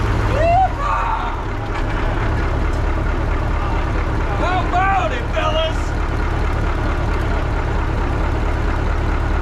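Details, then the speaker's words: 1980 Peterbilt 359, Cat 3408 diesel revived after years sitting, running on ether: deep steady idle with an even beat, no knocks, ticks or misses; 80 psi oil pressure, runs like a top. Normal idle. "Dude, it's got 80 pounds of oil pressure. Golly! She runs like a freaking top! That thing sounds good."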